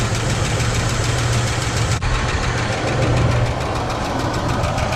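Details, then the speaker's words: Free 1972 Cadillac Sedan DeVille V8 that had been sitting: fast, even ticking over a smooth, steady idle with no rocking or apparent misfire. Possibly a sticky lifter or valve. The accelerator pump is faulty, stumbling on throttle. "Listen to that bad boy tick. Tick, tick, tick, tick, tick, tick, tick. It's running as smooth as possible."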